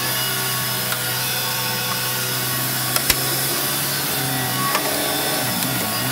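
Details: Electrolux 612E (600 series) upright vacuum with new Qualtex brushroll on deep hallway carpet: smooth even motor hum with steady brush sweep, no rattles or stalling; running healthy, cleaned astonishingly well.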